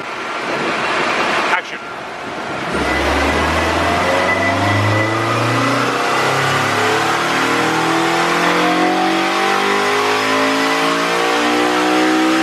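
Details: Red Honda Civic Si coupe on the dyno at 94 degrees, after the owner's data log flagged one bad injector: clean, steady full-load pull on the rollers, pitch rising smoothly with no misfire, stumble or flat spot.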